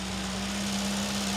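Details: Vauxhall Chevette engine first run after over 10 years abandoned, fed with petrol from a bottle into the carb: even, steady hum with no clear knock in this short stretch; condition, such as bearings, not yet known.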